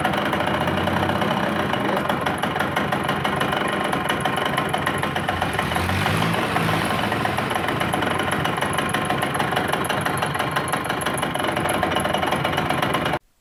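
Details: Yamaha YB100 two-stroke engine before rebuild: a busy clatter with a hard, regular knock on each crank turn, a worn connecting rod knocking.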